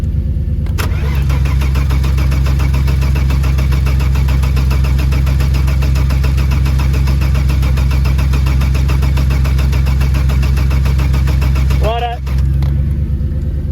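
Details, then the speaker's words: Saab 900 V6 farm car with original battery, fuel pressure present but fuel smells stale: long, steady cranking about three beats a second for over ten seconds with no firing; extended cranking no start, starter getting tired. "Might give the starter motor a rest. I think it's getting tired, so alright, I'll have a beer, we'll get back into it."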